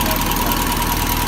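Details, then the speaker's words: 1979 Toyota Corolla SR5 TE37 before a tune-up: loud, uneven, lumpy idle that starts rough, caused by fouled spark plugs and a rich mixture. Plugs, cables, cap and rotor are to be replaced. "so yeah so the car needs a tune-up because it starts off pretty rough and it doesn't run as smooth as I like"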